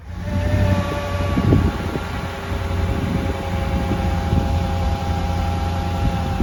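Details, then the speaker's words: Mercedes CLK55 AMG M113 V8, first start after oil leak repair with coil packs, injectors and airbox refitted: fires up, brief flare, then settles into a steady even idle with faint fan hum; normal idle. "Okay, so we're going to start it up first time."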